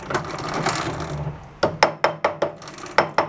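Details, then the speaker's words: Free roadside snowblower, drive chain with stuck links freed and oiled, turning slowly at working speed: sharp, evenly spaced ratcheting clicks. This is normal chain noise and much better than before. "You can already see it's much better that noise. They're always noisy. Even from the factory, they're they're pretty noisy with that that"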